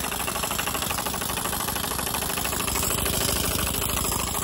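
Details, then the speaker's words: Steam engine (Mamod SP2, Wilesco D16 or Stuart S50) running on compressed air: steady rapid chuffing with a hard knock on each stroke, about three per second; the knock is judged to come from the piston running dry, so more oil is added. "there's a knocking sound hear that I think where that's coming from no he's making that knocking sound I can put a bit more on this um let's have a little lesson yeah that's coming from the piston"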